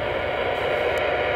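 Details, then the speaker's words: Kenwood D710 radio in AM mode hunting suspected power line noise, about 10–15 feet closer than a full-scale reading: loud steady rushing crackle with no signal; utility line noise plus another superimposed noise, source still unknown. "So I'm getting a massive amount of noise. I'm just using AM mode on the D710 here, pardon the filth."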